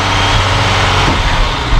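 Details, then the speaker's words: 1959 Mercedes-Benz 220S (W180 Ponton) six-cylinder sedan, restored and long stored, cold start: started easy, fuel pump audible, loud low rumble running fairly steadily as it comes off choke; normal cold running. "I can hear the fuel pump. [Music] started easy"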